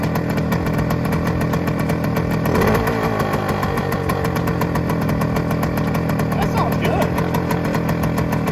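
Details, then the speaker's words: 1971 Suzuki TS185 first running after years sitting, cold, at fast high idle on choke and smoking heavily: sharp, spitting tick on every firing stroke. Bad exhaust leak. "all right so she is running again we definitely have really gnarly exhaust Le"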